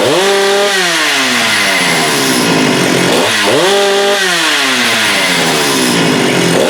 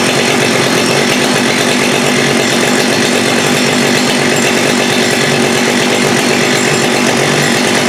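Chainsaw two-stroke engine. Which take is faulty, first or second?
second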